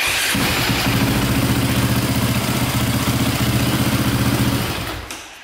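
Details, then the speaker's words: 2002 KTM 450/400 EXC dirt bike electric start: even starter spin with a steady low hum, no grinding or noises; the starter one-way bearing is not thought to be a problem. "i mean that's pretty good no noises or anything"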